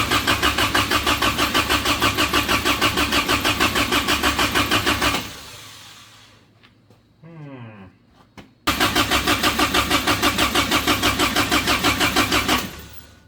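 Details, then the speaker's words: Toyota-engined Samurai rock crawler newly plumbed for propane: steady starter cranking about three turns a second for five seconds, then again, no firing; an intake plug left out during fitting installation leaked vacuum. "there's a plug that goes right here that I did not put in when I was putting all the fittings in so again no vacuum and yeah sometimes you just need to slow down uh and"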